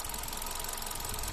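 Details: Hyundai Accent with Kappa engine: idle has an uneven, tapping stumble with beats dropping out irregularly; misfire, cause suspected but not confirmed.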